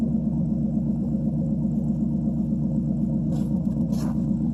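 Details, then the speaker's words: 1952 Ford Customline flathead V8, cold start after sitting one to two months, on a 6-volt battery with a 12-volt jump pack; mic at the exhaust during a few revs. Deep, even burbling with steady pulses, no misses or knocks; normal exhaust note, though it smokes slightly. "I'll take and put you guys back here at the exhaust. I'll rev it up a couple times and you can hear what it sounds like."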